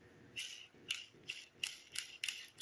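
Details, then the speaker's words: Roller lifter from a 73 Camaro LT1 build, a cleaned control unit spun by hand with a fan running in the background: soft even whirr with no grit or catching; a healthy lifter roller bearing. "don't know if you can hear that it's pretty quiet and we got another control one here that I cleaned very little noise"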